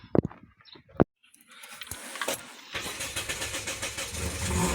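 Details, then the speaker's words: Toyota Vios that suddenly died, fuel pump motor replaced and battery disconnected: few clicks and short crank, then catches immediately and settles into steady run; starts normally after repair. "aandar agad ah sabi ko sayo >> start siya kaagad oh >> ha >> start kaagad"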